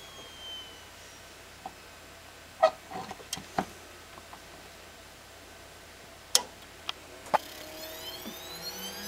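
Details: Samsung HLT6156W TV: a thin, steady high-pitched whine hangs over a quiet room, broken by a few sharp clicks and taps.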